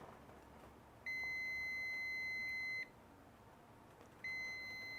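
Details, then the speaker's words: Fluke T5-1000 meter on ohms toning out a de-energized circuit while black and white wires are touched together at about 3-second intervals: clean high beep, pause, beep; continuity found, circuit identified as the fireplace. "he's actually going to be taking the black and the white and touching them together at about 3 second intervals like this so we're going to hear that noise"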